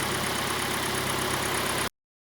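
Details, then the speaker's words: Kia Sportage 2.0 G4NA, AWD automatic, 150,000 km, after block boring and oil-jet installation for scored cylinders and piston knock, heard from outside: smooth, even, quiet warm idle with no knock or tick; engine healthy. "Работает ровненько, работает тихо."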